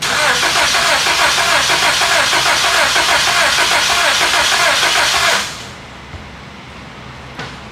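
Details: 2001 Honda Accord towed in with a no-start: about five seconds of steady, even cranking at roughly three beats a second with no firing. It cranks but won't start with no spark. A yanked-apart connector and loose, duct-taped wiring were found and repaired.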